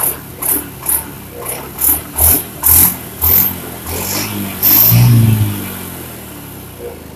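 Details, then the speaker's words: Honda Beat injection scooter after replacing the spark plug and leaking plug cap: crisp, quick throttle blips about every half second, then steady, even idle with no stumbling; runs clean and responsive, previous misfire and stalling gone. "ini sudah beres tapi belum dicoba sementara dicoba begini aja sudah enak banget tes juga sudah sangat galak"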